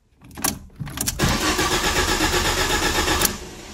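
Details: Ford Ka (2010–2011) after rear-end crash with fuel cut-off triggered, following reset: short crank, then catches cleanly and settles into an even, steady idle with no misses or knocks.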